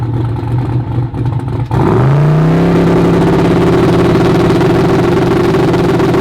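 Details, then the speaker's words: Turbocharged Corvette Z06 race car launching on a drag pass: engine revs climb then the pitch stalls flat and stops pulling, an engine layover; driver suspects it ran over the crankshaft, not confirmed. "to most of you guys that just sounds like an aborted pass but I'll play it a couple times if you hear a layover which I think I had another video of it if you hear it layover that's usually the sound of it running over the crankshaft"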